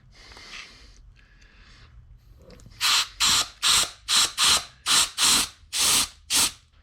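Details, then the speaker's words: Front pump/4th clutch housing of a transmission on the bench, air test with one hole blocked by finger; nine sharp hissing air bursts in about four seconds as the overrun clutch piston strokes cleanly; normal engagement. "And you can hear the the overrun clutch activating"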